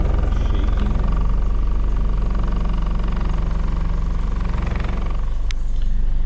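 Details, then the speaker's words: BMW E36 Compact M43 on a cold start after the paper ICV gasket was removed, sealant was applied to the idle control valve and the MAF sensor was cleaned. Very hard start with low, uneven chugging that nearly stalls: a rough, unstable cold idle. "It's very rough. And now we're going to wait for it. Oh, it almost died."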